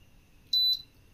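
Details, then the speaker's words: Philips Viva induction cooktop with both coil temperature sensors disconnected: one sharp high beep about a quarter second long in a quiet room as it shows E9, the error for an open or shorted coil sensor. "Error வந்துருச்சுங்களா அதுக்கு காரணம் இந்த sensor"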